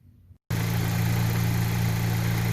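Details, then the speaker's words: Ion Redline OTTP with rebuilt BRS fuel kit, first start after install: engine catches and settles into smooth even idle, no knocks or misses; no fuel leaks, fuel pressure holding though gauge bouncing. "Alright, you hear that? That is the engine running. No leaks, nothing. We got the pressure."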